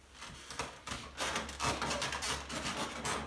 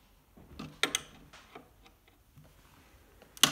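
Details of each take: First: Wooden piano bench rocked, giving bursts of creaking, rubbing squeaks as the polyester finish on the leg rubs the side piece because the leg nuts are loose; tightening the nuts fixes it. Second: Polyester piano bench after its squeak was fixed by tightening the nuts on all four sides: shifting under weight now gives only a few soft wooden taps and clicks, with the squeak mostly eliminated.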